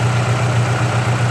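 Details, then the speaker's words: Saab Aero after a head gasket replacement, still mixing oil and coolant and blowing oil smoke: deep uneven idle with a lumpy, rocking pulse, misfiring and shaking on its mounts. Owner suspects piston 3, which blew itself up, not confirmed. "look at the engine moving like that holy crap ruff ruff yeah here comes the smoke"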